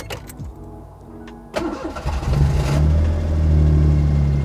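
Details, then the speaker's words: Daihatsu Mira with custom swapped engine, start after reassembly: a few cranking turns, catches and holds a steady, deep, even idle with no knocks or misses; sounds pretty good. "oh it did start me [Music] yeah that sounds pretty good like it didn't sound too bad it's nice"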